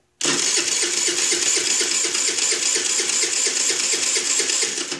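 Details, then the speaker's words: Chinese 49cc scooter cranked with brake held: starter spins the engine at an even five or so beats a second but it never catches; no spark, crank no start from a failed CDI box, fixed by replacing CDI. "I have nothing so first thing we're going to do is check for fuel and we're going to check for spark"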